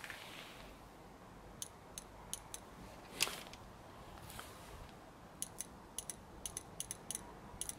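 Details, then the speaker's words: BMW E30 petrol injector, previously stuck open and flooding fuel, after it was tapped and pulsed with voltage: crisp sharp clicks in short irregular bursts on the bench, now opening cleanly each pulse. "Во! И сейчас прям слышно, как она хорошо срабатывает."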